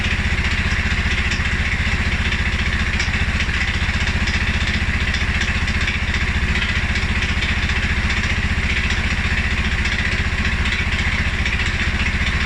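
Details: 2011 Polaris Sportsman 550 XP with a cold-start stumble, also after a ride or revs. Low, slow single-cylinder idle with uneven, lumpy firing pulses that sounds close to stalling. TPS, IAC, TMAP, valve clearances, timing, plug and 43 psi fuel pressure all check good. Rough low idle, cause unknown.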